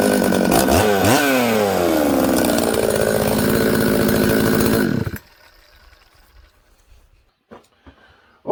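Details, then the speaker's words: Newly built Buckin's 266 chainsaw that ran poorly from an air leak, fixed by sealing the oil pump O-ring with assembly silicone and retorquing; clean revs climbing and dropping smoothly with crisp throttle response, then quick shut-off; runs healthy. "friends uh i had the saw running there you can see it starts it idles it settles down quickly i can flip it all around it's good"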